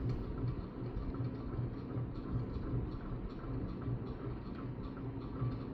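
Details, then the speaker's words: Older Hampton Bay ceiling fan model 52A4H4L (2.65 A) on high: steady low thumping pulse two or three times a second over the whir with heavy wobble; bearings seem good, needs balancing and securing, mount bracket possibly failing. "Yikes. Lots of noise, lots of wobbles. But hey, it still runs."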